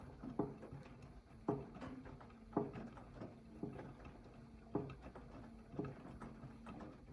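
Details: AEG 8000 washing machine: a dull knock about once a second over a low hum as the drum turns slowly, mostly counterclockwise; it disappears at higher rpm and persists with the detergent cup removed; source unknown.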